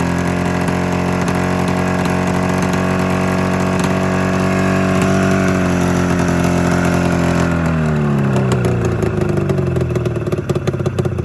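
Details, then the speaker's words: 27-year-old Arctic Cat Mountain Cat snowmobile, two-stroke twin, new plug and replaced ignition coil, owner suspects fuel delivery: lumpy uneven idle, revs dropping off, only one cylinder firing, other dead and wet with fuel; misfire. "yeah it's it's still only firing on one cylinder"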